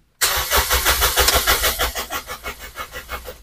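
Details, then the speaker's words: Toyota Vios that stalled and won't start, cranked while testing the black fuel pump feed wire with a test pen: steady even cranking about three turns a second, no firing; wiring found fine, fuel pump suspected faulty. "Kalau dia semisal pada saat kita starter dia mau hidup dan mau mati sendiri, artinya dia untuk kelistrikannya masuk ke jalur full pumpnya ya."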